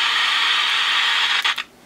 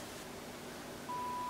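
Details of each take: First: Sony Air 7 airband receiver that received nothing, fed a 76 MHz signal-generator input: steady speaker hiss that stutters and cuts out abruptly. Crackling, erratic audio blamed on bad volume/squelch potentiometers. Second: Sony Air 7 airband receiver after repair (previously received nothing), squelch turned fully up while signal level is reduced: hiss drops away and a clean tone holds; squelch opens and closes correctly.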